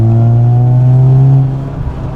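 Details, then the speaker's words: Mazda FC3S RX-7 Turbo II rotary, accelerating while driving, after new custom stainless dual exhaust with mufflers replacing straight pipe, emissions and cat deleted: smooth rising low well-muffled tone pulling cleanly, no rasp or rattle; normal acceleration. "The car needs some suspension stuff, definitely needs coilovers, but other than that, it's nice and quiet to drive. It actually drives extremely well, and I mean, here's accelerating."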